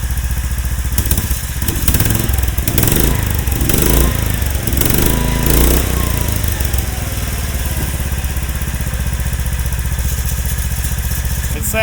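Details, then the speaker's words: Club Car golf cart with Predator 459 engine swap and Honda Grom muffler, first start, about 90°F: lumpy single-cylinder idle at about four beats a second, steady, slight rattle from loose parts; normal idle. "Sounds like a four-wheeler. Got some vibrations. You might hear a little rattling. That's just some loose stuff."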